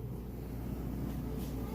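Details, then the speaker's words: Kenmore electric dryer, used, during inspection demo after heat check: steady low hum with an even tumble, no thumping or bumping; dryer running smoothly and normally. "smooth operation no thumping or bumping or anything like that all things you check for"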